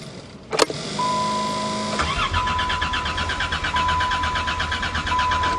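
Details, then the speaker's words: Old four-wheel-drive Caravan, cold start in snow after a used part went in and fuel was added: a chime, then the starter turns over steadily for several seconds without firing; it cranks but will not start. "How could it run fine last year and not this year?"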